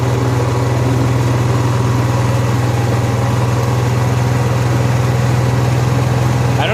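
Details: Honda EXW171S welder generator, unused in a barn over 5 years, run indoors after warming up on choke, then throttle. Deep, even engine hum at constant speed with no knocks, misses or surging; it runs fine.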